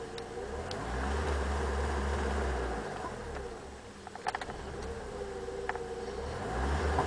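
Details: BMW E30 318i M40B18: engine rises from idle but falters and sags near 2000 rpm instead of pulling cleanly, occasional fault; caused by a loose vacuum hose, fixed by replacing the rubber pipe.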